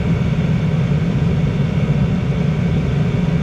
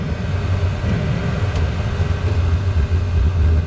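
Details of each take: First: Diesel heater with its exhaust routing changed in a viewer-suggestion test: even, steady low roar with no surging or popping; combustion stabilized, owner suspects the exhaust matters. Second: Diesel heater whose exhaust is routed with several bends: once the exhaust pipe is refitted, a low rumble pulses and surges instead of burning steadily. Combustion is unstable, apparently because of the restricted exhaust.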